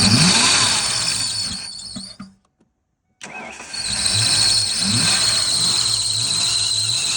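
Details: 1992 Ford Mustang GT Foxbody 5.0 V8, first cold start after sitting with old fuel and no oil; loud steady high screech over idle, drops out briefly then returns, belt gliding over seized pump pulley, owner thinks it may just be flattening the belt.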